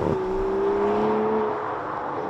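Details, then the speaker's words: 2020 Aston Martin DBS Superleggera braking on the road: a steady, fairly low squeal rising slightly in pitch over road and engine noise, from the hot carbon-ceramic brakes (410 mm front, 350 mm rear rotors). "can hear that squealing sound and it's not the cameraman that is the brakes when you get a bit heat into them I just start making all sorts of noises"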